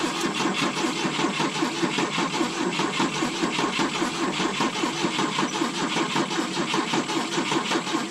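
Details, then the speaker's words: 1972 Volvo 145 on rigged fuel with vacuum ports plugged: steady starter churn, about 77 beats a minute, uneven compression pulses, not spinning fast enough, no catch; plug wires disconnected. "Come on. It's trying. Oh, it's cheeching. Come on. Not spinning fast enough."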